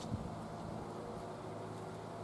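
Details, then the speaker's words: ITEHIL solar fan, charged, switched to high speed: quiet even airy whoosh with low steady hum, no rattle or wobble; normal running. "one more speed that's high now it's got turbo okay ni that's nice"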